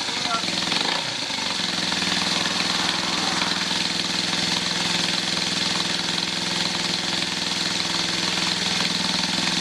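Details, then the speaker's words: 1981 Yamaha XS400 twin, to become a café racer, first start on a jump-starter booster after about 13 years unused (2007 tax disc); catches and holds a steady, even idle under a hissy top end, though a carburettor leaks fuel (float needle suspected); normal running. "Ça tourne. La vignette est de 2007. Ça veut dire que ça doit faire 13 ans qu'elle n'a pas tourné."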